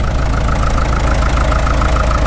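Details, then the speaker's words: Caterpillar D2 #5U4177 diesel crawler running after sitting 20 years, at lower idle with oil pressure still pegged; governor needs adjusting and bevel shaft loose. Deep, steady, even thumping with no knocks or misses; normal healthy idle. "it is a runner boy that engine sounds great especially after setting for as long as it has even at lower idle oil pressure still pegged"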